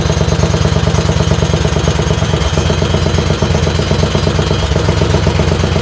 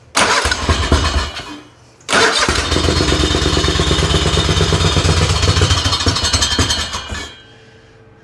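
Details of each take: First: Racing lawn tractor on its second run, warming up, with a couple of baffles and drilled holes added to the exhaust: hard, deep exhaust pulses, better than before but still too loud. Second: Race tractor engine on its second run, belt lying on the exhaust: starts on the second try, then a loud lopey, choppy big-cam idle with even firing; sounds healthy, though a pulley rub shows up afterwards.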